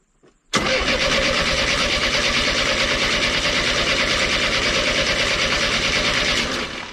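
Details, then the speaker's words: 1991 Chevy S10 pickup that sat in a junkyard over a decade: starter cranks steadily at about three turns a second for several seconds but never catches. No start because the injector is not spraying fuel; the fuel pump is suspected. "so we have a fuel issue I wonder if we got if a uh Fork on the fuel line check"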